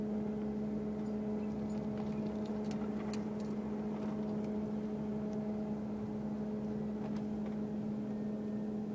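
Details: 2002 Mercury Grand Marquis, 105k+ miles: steady low hum with higher overtones from the engine compartment over running noise while driving; occurs randomly, starting and stopping within seconds, seemingly unrelated to bumps, speed or gear; gauges normal.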